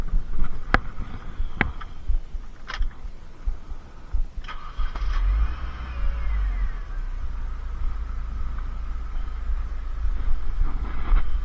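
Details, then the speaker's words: Supercharged Mini Cooper S R52 Sidewalk Edition that had been misfiring, started after checking the coils: a few clicks, then an even low idle hum with no stumble or skipped beats, so no misfire. "Well, definitely not misfiring."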